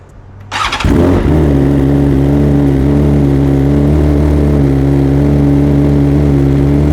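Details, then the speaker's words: 2023 BMW S 1000 RR on stock cold-start map before flashing: fires up to a fast, high idle with steady drone, slightly missing, some air noise, then revs begin to slow down. "All right, so you can see it has a pretty high idle. It was missing a little bit. You can hear some air in there, and then it starts to slow down."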